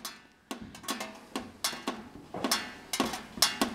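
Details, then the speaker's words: Wood stove with a fire going, rain leaking in from the top: sharp irregular ticks every third to half second like drops hitting hot metal, 18 minutes of steady dripping into the firebox. "Well, it's raindrops, and this is all filmed, and 18 minutes and still dripping."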